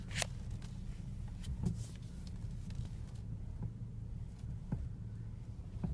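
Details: BMW E60 when steering wheel turned: single dull clunks about once a second over quiet engine hum; steering clunk, cause unknown.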